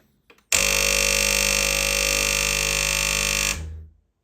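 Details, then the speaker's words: Secondhand Gastroback espresso machine that outputs no water, drawing 1,000 W mostly to the heater: a loud, steady, harsh pump buzz for about three seconds, then cutoff, with no flow. The pump is running dry behind a clogged inlet filter. "So there is no pressure stopping it from the power. It's pulling 1,000 watts and all these thousand watts are going to the heating unit."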